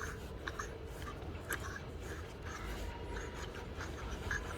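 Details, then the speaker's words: Old alternator removed from a Toyota Alphard/Vellfire 20 series, turned by hand: quiet scratchy grinding rasp from dry inner bearings, so it is being replaced. "it does sound like the inner bearings are yep dry and this is not good anymore"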